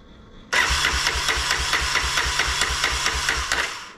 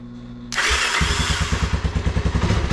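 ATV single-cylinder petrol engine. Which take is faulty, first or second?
first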